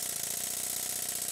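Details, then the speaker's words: Stuart 7A model steam engine on its dense baseboard, exhaust pipe not connected, running fast as valve-gear tightness wears off: quick, even exhaust beats over steady hiss with light mechanical ticking, no knocks; running smoothly. "base was very dense so I'm losing some of the sound board effect of my workbench which makes the engine sound even better"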